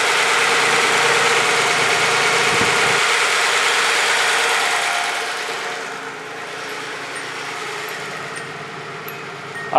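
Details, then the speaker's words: Warmed-up Z car whose idle eases down from a higher idle and settles at about 750 rpm, the specified speed: smooth, even running. "no it's idling it a much better idle speed now about 750 which it should accor"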